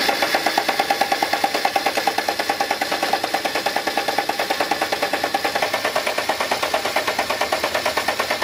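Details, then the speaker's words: Land Rover Defender diesel stranded on a trip, with a replacement pump fitted bypassing the old injection pump: steady rhythmic cranking at about three beats a second that never catches; cranks but won't start. "cranked and still nothing it just wouldn't start just wouldn't start"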